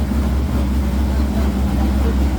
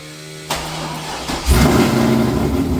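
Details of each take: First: C5 Corvette V8 after taking over a stripped head bolt Time-Sert repair, restarted after finding one plug wire off: steady, even low idle rumble with no miss; all eight cylinders now firing, oil pressure good. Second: C5 Corvette V8 with 228R cam after Time-Sert head bolt repair, coolant temp sensor plugged in, headers hot: fires into choppy, lopey idle with a faint light ticking underneath; owner suspects a bad sensor, not confirmed.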